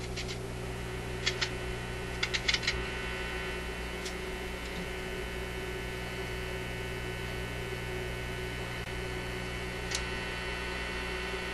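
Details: Zenith Y825 vacuum tube AM/FM radio, shelved after earlier repair: steady low hum and buzz with faint ticks, unchanged with volume down; mains hum, far too much.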